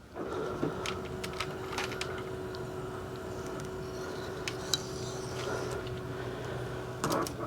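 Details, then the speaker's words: 2002 Lexus RX300 power antenna after replacing car-wash-damaged mast: steady even motor whine and gear hum for about seven seconds, no grinding or stalling; mast extends and fully retracts to home position normally. "All right, very nice. And then off again. And we are good to go. We're done. Completely retracted all the way to the bottom there, all the way to the home position."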